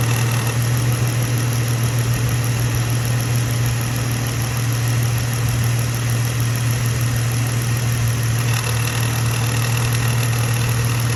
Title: 2015 Jeep JK 128k miles has strange noise in the engine bay that comes on intermittently. Help pls!!